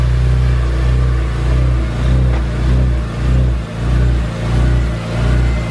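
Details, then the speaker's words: BMW E46 M3 engine at its first startup after a valve adjustment: a deep, even idle rumble with a gentle rise and fall. It is much quieter than before, with no valvetrain ticking. Normal idle. "it's much quieter dude much quieter that's nice there's no ticking at all"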